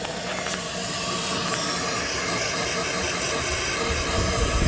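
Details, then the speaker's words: GM 2.4L with code P0411 secondary air injection airflow insufficient, pump mounted under the vehicle and commanded by scan tool with key on, engine off: steady electric whirring hum holding even for seconds. Secondary air pump running. "key on engine off okay you're gonna hear this pump kick on when i turn it on"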